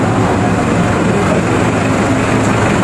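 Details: Kawasaki Ninja 400 that powered its dashboard but wouldn't start, fixed by repairing a loose ground: steady, even engine hum with no misses or knocks, clean idle.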